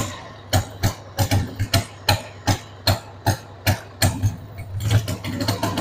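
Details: 1993 Harley-Davidson Sportster 883 Evo V-twin, stored about 15 years, just started on starting fluid with a dead battery: an uneven, thumping idle, firing beats bunching and stumbling about once a second. The owner says the carb needs cleaning.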